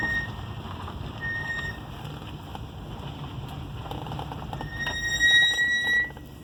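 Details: 2006 Subaru Forester 2.5 XT SG6 with front Brembo Gold 4-pot calipers, recorded from inside: a high squeal near 2 kHz comes and goes, loudest as the brakes bite; pads, discs and rebuilt calipers have about 10,000 km, and the owner suspects poor or fake pads.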